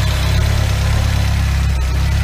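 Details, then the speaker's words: Chevrolet Celta after restoring alternator whose bearings were noisy from mud contamination: steady, even idle with no whine, growl or rumble from the alternator, charging 14.61 V; normal idle after repair. "e agora tá aí tá lisinho alternador não tem mais barulho sereno sereno"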